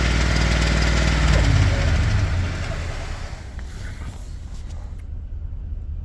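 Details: 2022 Ford F-250, 7.3 V8 at 25,000 miles, at idle: a quick, even tick about four a second on top of the engine note. Owner suspects bad lifters; the cause is unconfirmed.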